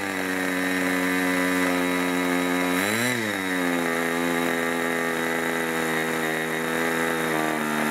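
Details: 1980s Irvine 40 MkII ABC glow engine with twin-needle carb, 10x6 prop, 7% nitro and 20% oil fuel, on its first run: a high buzzing note wavers and dips briefly around three seconds with a slightly blubbery tone. The needle setting is over-rich and gets leaned.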